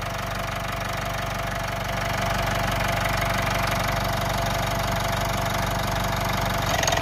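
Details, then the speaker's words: Mitsubishi Outlander diesel idling after timing cover resealed (sealant cured overnight, fresh oil), cracked exhaust manifold: even clatter, no rattle from the timing case area; sounds mint. "There is absolutely no noise now coming from that timing case area. It sounds mint."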